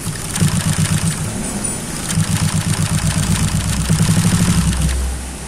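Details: Honda Vario 125 scooter bored up to 140cc with Fim piston, stock coil and electrics, freshly rebuilt: uneven, lumpy putting about four beats a second with hunting idle; rough running, loose part found hot.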